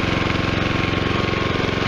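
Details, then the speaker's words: Westinghouse iGen4200 gas hybrid generator, mic right up close: steady even engine drone with smooth low pulse, no misses or knocks, very quiet; running healthy. "this generator is pretty nice if you can hear me it's really quiet i mean super super quiet i mean i'm right up on it i mean it's perfect i can barely hear it inside of the coach"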